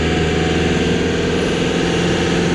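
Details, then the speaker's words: Loaded van towing a car trailer, running with little power: loud, rough, steady diesel clatter with a harsh knock-like rattle; owners unsure if it is truly knocking, suspect turbo or a manifold leak, or just an old diesel. "it sounds awful doesn't it sounds like it's knocking but it's not knocking i mean it definitely sounds like it's knocking"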